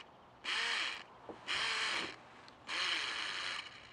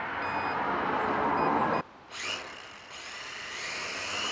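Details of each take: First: K70C Sky Warrior toy-grade quadcopter motor pod after replacing two props: three short bursts of high motor whir with raspy skips as the gear slips, prop barely rotating; gear replacement planned. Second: K70C Sky Warrior quadcopter after replacing two propellers and oiling: high buzzing whine rising and dipping with throttle, no rattle or scraping; flies oddly, owner suspects calibration, later found a bad motor.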